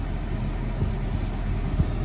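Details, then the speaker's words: Copart auction car with low miles and working windows, idling with the AC switched on: steady low idle hum with no knocks or squeals while the compressor runs; smooth, normal idle. "good then it sounds good and that sounds very good"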